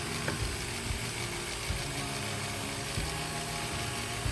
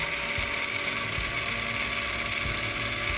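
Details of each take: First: Metal-geared 1/10 electric RC crawler (MN99S Tubular Pro) gearbox turning slowly after the first 5 cc of oil was added: a slow, even whirr of meshing gears with light ticking and no grind, far quieter than the very noisy dry gearbox; normal running. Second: MN99S 1/10 RC truck metal gearbox in neutral under throttle, right after first 5 ml of oil added: high steady gear whine with faint ticking, slightly softened; gears still noisy from low oil.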